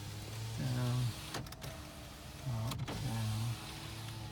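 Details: 2012 Toyota RAV4 four-cylinder, 90,242 miles, front-end collision no-start, run on a jump box, heard from inside the cabin: driver window motor gives steady low hum as the glass goes down, up, down, stopping cleanly; power window works normally.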